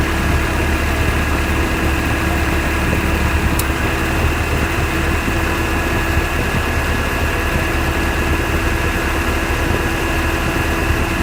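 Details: 1991 Honda Civic at idle with new Matsushita AC compressor, no clutch, replacing one with very loud ticking: steady, even idle, compressor engaged, no ticking or knocking; normal operation, faint ticking only about 5 seconds at switch-on.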